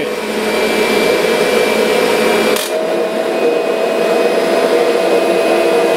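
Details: Kirby Sentria vacuum after impeller replacement, loose carpet having stalled the brush roller: steady high whirring motor note with even suction noise over carpet, no rattles or scraping, running normally.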